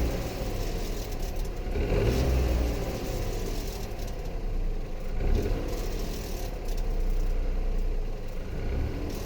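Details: Dacia Eco-G 100 engine: note swells and falls with revs, with a rough grumbling rattle as it comes off throttle; noise on deceleration, cause unknown.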